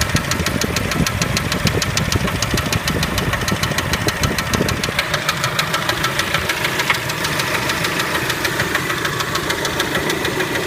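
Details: Kia Spectra engine at idle: sharp, regular knocking about three per second over the idle, staying constant; engine knock of unknown origin.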